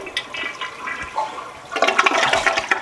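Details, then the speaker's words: Toilet flushed once after its water supply was shut off, before installing a bidet attachment. A single gushing flush drains the bowl with no refill hiss afterward. Normal flush. "First thing you're gonna do, and make sure that when you shut the water off, you flush your toilet, okay?"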